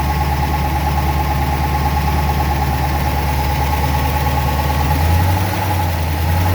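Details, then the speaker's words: 1963 Studebaker Avanti R2 out of storage, just started after starter fluid got fuel up to the carburetor: a steady, smooth low idle, no knocks or misses. This is a normal idle. "a couple shots of starter fluid so we got some fuel up to the carburetor and now she's running"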